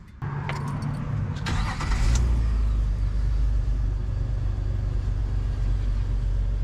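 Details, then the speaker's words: 1998 Jeep Wrangler 2.5 manual, sat a very long time, after tightening loose parts: catches into a deep, uneven stumbling idle; check engine light back on (earlier codes crank and O2), owner suspects MAP sensor, cause unconfirmed. "Check engine light back on. Yeah, well, start running that rough. I think. Mm-hmm. That could be the map sensor."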